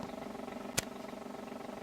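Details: Mid-1930s tube radio from a mouse-nest set with chewed paper caps; low fluttering roar-like drone with one sharp click, oscillating instead of playing cleanly; owner suspects old mica postage-stamp capacitors; oscillation noise.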